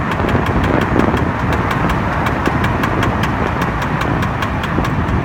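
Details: BMW E60 while driving, knock present at all speeds in D and gone in N: steady rapid knocking about five a second over road rumble, with felt vibration. Replacing the flex disc and center support did not help; replacing the driver-side rear output shaft with its worn outer CV joint solved it.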